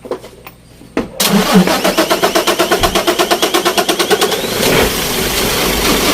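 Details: Isuzu 6WF1 CRDi diesel hard starting: starter churns evenly at about three turns a second for several seconds before the engine finally catches and settles; slow, reluctant start.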